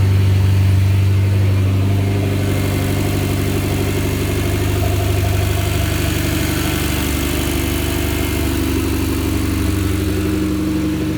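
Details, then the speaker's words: Mitsubishi Lancer Evo X at idle after ACT clutch replacement, suspension and belt reinstalled and Cosworth air filter fitted; first start check, engine holds a smooth, even idle, lifts slightly and stays steady without stumbles or rattles: normal idle. "I'm gonna start it up in a few, you know, just to make sure everything's alright."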